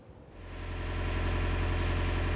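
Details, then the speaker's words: Widebeam narrowboat diesel engine after replacing a blown inline starter-solenoid fuse that caused the no-start: even, steady low thrum with a smooth, regular beat, no knocks or misses; healthy idle. "Right, I hope you can hear me above the noise of the engine. That's sweet music to my ears after that bit of a mishap."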